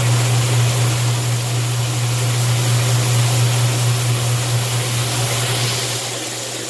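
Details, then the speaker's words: Washing machine with the lid switch bypassed by a screwdriver, on the drain cycle after filling: a steady low drain-pump hum under rushing water, easing slightly near the end. The water drains normally. "You can see the water did drain."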